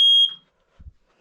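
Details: December smoke and carbon monoxide alarm test, basement smoke alarm: one sharp, high-pitched beep about a quarter second long, then quiet; the alarm sounds properly on test.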